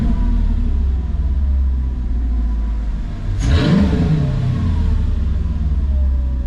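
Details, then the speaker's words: Mercedes C55 AMG after DIY exhaust work with Harbor Freight Titanium 125 flux welder, running a few minutes, not yet warm, car raised off ground: deep steady idle, one smooth blip, clean even exhaust note, no rattle; sounds good. "I think it changed that sounds pretty dope I don't know if you guys can tell in person but or I mean on camera but you can tell in person for sure"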